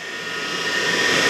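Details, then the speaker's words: Universal motor on a trainer kit running on DC supply with no load, turning anticlockwise at about 29–30 V: smooth high-pitched whir climbing to about 10,000 rpm, like a kitchen mixer. Running normally. "So speed ಎಷ್ಟು, about 10,000 RPM ಇದೆ. ನಿಮ್ಗದು speed sound ಕೇಳದೆ ನೋಡಿದ್ರೆ ಗೊತ್ತಾಗ್ತಾ ಇರುತ್ತೆ speed heavy ತಿರುಗ್ತಾ ಇದೆ ಅಂತ."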